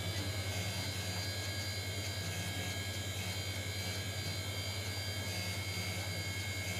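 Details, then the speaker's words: Apple floppy drive from a Macintosh Quadra 700, after cleaning and correcting the eject mechanism, reading the first MacOS install disk: quiet even whir with soft regular pulsing and faint head stepping; reads normally, eject motor not yet tested. "It was not that difficult in fact we just had to correct the mechanism we don't have the eject motor tested yet but what pleases me is the fact it's reading the floppy disk"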